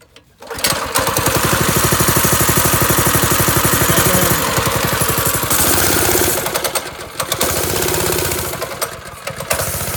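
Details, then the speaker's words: Old go-kart engine with a torque converter, still not running right, started on a little choke: it buzzes fast, then the revs sag and stumble twice before catching; it won't hold a stable idle, and the owner suspects the pilot jet. "I cannot get a stable idle on this thing to save my my wife."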